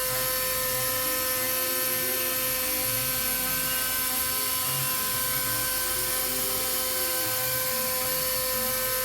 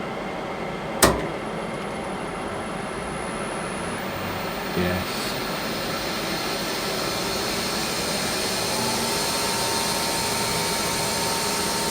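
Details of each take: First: Warco WM250V three-phase variable-speed lathe cutting a part: high, steady whine with rough, wavering cutting noise underneath; spindle described as on its last legs and badly worn, repair planned later. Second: Lathe with mains-powered cooling fan behind the motor, spindle running after rewiring: a couple of clunks at start-up, then a smooth, even running hum with no knocks or rubbing; spindle runs fine.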